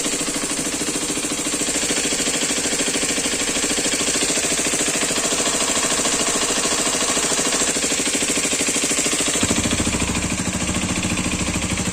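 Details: New Hero Xpulse 210 (January 2026 batch) at pre-delivery inspection, single-cylinder idle: fast, steady clatter of light ticks about three per second, abnormal knock from the new engine, also leaking oil; cause unknown.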